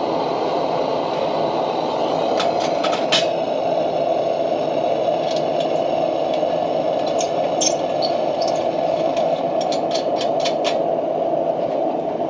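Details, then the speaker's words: Military 252A pressure lantern lit after releasing all pressure, pumping well past 7–12 and a brief preheat; steady even hissing roar at full pressure with light clicks, no surging or sputter; normal burner roar. "She's up and running, nice and strong. You can even put more pressure in it, but that's full pressure."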